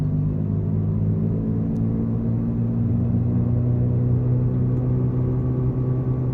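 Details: 2014 Jeep Patriot 4x4 cruising around 40–45 mph: steady loud low hum, louder at the rear, lessening when turning right; bad rear wheel bearing, later replaced.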